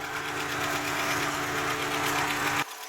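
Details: Capri XR2 (turbo) beater after head gasket job, warming at idle: light, quick valve-train ticking over steady hum, top end a little loud; cause unknown, owner not concerned.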